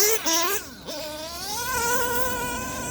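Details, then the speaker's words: STS D21B Dragon nitro engine on Traxxas Top Fuel 33% nitro, 8mm red venturi fitted, carb and throttle adjusted: high buzz climbs sharply, slightly thin and crackly at top; slightly lean, good smoke, winding out well. "Little bit of a leany sound there. We're getting good smoke. And it's winding out good."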